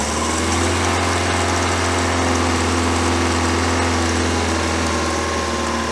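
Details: 1973 Larson boat, Mercruiser 120hp 2.5L warming up with choke opening fully: steady, even low idle hum with no misses or knocks, settling smoothly as it warms; running like a beast.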